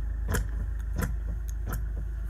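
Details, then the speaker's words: Hyundai with electric power steering: sharp metallic knocks from the steering column over a low hum as the wheel moves, caused by a worn coupling in the electronic power steering unit. "okay hyundai steering wheel noise and play this is a knock in the steering shaft or steering column and you can hear it knocking away there"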